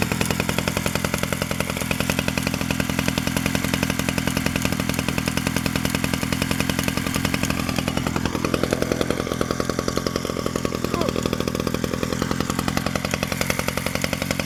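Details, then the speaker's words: 1947 Danarm Junior Mk1 two-stroke chainsaw after full restoration (new bearings, coil, condenser; remade fixings; timing set), no fuel tank yet, only a drop of fuel in the pipe: crisp, even buzz, about 3.5 firing pulses a second, no misses; runs normally. "There's only a drop of fuel in the pipe, so there's no fuel tank yet. There she is, she runs"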